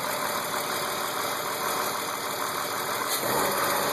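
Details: BMW E36 328i M52, 175,000 km, M50 intake, M3 EU headers and exhaust, runs strong: steady light tick at idle about three per second; persists after replacing cam/crank sensors, injectors, lifters, chain tensioners, upper chain, VANOS seal, oil; oil/fuel pressure, cam clearance checked.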